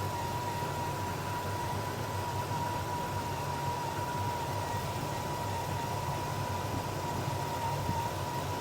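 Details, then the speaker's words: 1966 Pontiac GTO V8 with rebuilt Carter Competition carburetor, idle mixture screws tuned for highest vacuum: steady even idle with RPM rising as mixture finds best point; vacuum reaches stable 15 inHg, about 1.5 higher. "now I'm going to just slowly try to touch these to see if I can get a high vacuum reading did you hear the RPM come up right there that's what you want"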